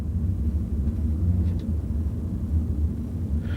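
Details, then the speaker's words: Toyota with 142,000 miles, driving with windows up: a low, steady droning rumble from the rear, worn rear wheel bearings. "The rear wheel bearings are starting to wear out. Now it does have 142,000 miles on it."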